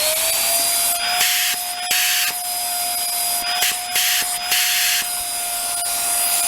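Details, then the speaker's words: Hoover Air Steerable Wind Tunnel vacuum with no suction, running outdoors around +10 degrees: steady high whistle over the motor's hiss, pitch constant; a debris plug found in the hose was starving suction. "start it up and uh see where the plug is in the hose because it whistles off the top"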